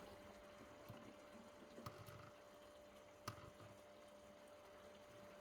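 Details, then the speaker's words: SUN SUN HBL hanging aquarium filter after fixing air-intake noise by turning down the outlet flow valve; quiet, even hum with occasional water drip, air rattle gone, pump now running normally. "để mình sẽ quay gần đên các bạn xem nhé đó nó đã hết kêu rồi"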